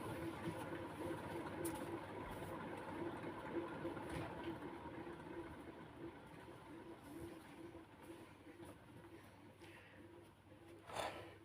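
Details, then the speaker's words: 2003 Martec Four Seasons 48-inch (1200 mm) J-hook ceiling fan with oyster light kit, switched off; hum with steady tick three to four times a second fading within about ten seconds; quick spin-down blamed on bearings. "The spin down in this is a little bit quick because of the bearings."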